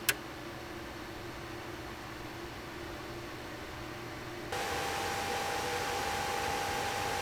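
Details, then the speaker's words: Gigabyte Gaming GT compact PC, i7-7700K reaching 90°C and GTX 1070 at 82°C under load, microphone right above the case: soft fan hiss at idle jumps to a loud whoosh and higher whine under load, normal but not quiet. "So from that sound test, it is very clear that this is not a quiet machine under load, so I would definitely recommend headphones if you're planning on using this for heavy-duty purposes like gaming or even productivity in general."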